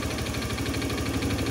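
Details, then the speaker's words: Honda Scoopy PGM-FI scooter engine: rough idle with rapid hollow rattling knock and thick white exhaust smoke; suspected worn piston or valve seals. "suaranya kemelotok ya. Suaranya kasar, terus keluar asap putih tebal. Itu kemungkinan piston ya, atau enggak seal klepnya."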